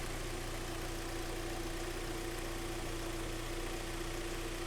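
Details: 2012 Hyundai ix35, G4KD engine, front-wheel drive, ~130,000 km, warming to fan switch-on: steady, even low hum with no knocks or ticks; idling smoothly, seems to run very well.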